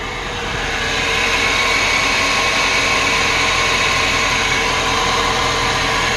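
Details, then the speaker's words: Whirring, hissing noise over a steady idle under the hood, likely from a pulley or bearing; owner had just replaced the serpentine belt, source unconfirmed. "it's like a whirring sound i'm hearing over from over on this"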